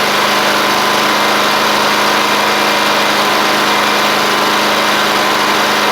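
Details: Murray 24-inch riding mower, Briggs engine after water in fuel and rust, new carburetor fitted: fast even run with dense buzzy drone, no misses or knocks; running fine now.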